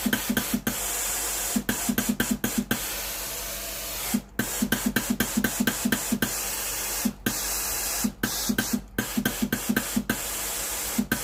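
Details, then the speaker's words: Philips GC9682/80 steam iron after repair (soleplate heater not heating, water dripping from soleplate; replacement relay ALDP124), steam switch pressed once ready: rapid, regular, strong hissing bursts, steam system working normally. "เครื่องพร้อมไซส์งานแล้วนะครับกดสวิตช์จ่ายน้ำเทสระบบไอน้ำ"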